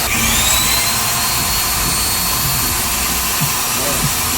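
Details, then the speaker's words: Putty mixer machine after refitting the gears in the head and greasing them: steady, even high-pitched whir over a low motor hum, no knocking or grinding, smoother and cleaner than before. Normal running. "Set करने के बाद हम इसे चला कर देखते हैं कि पहले से स्मूथ और क्लीन आवाज आ रही है।"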